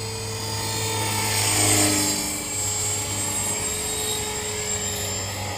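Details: Trex 450 electric RC helicopter with a Common-Sense RC TR450-35 3500kv motor and 13t pinion, flown after a crash, hums steadily in flight with a constant thin high squeal from a bad main shaft bearing.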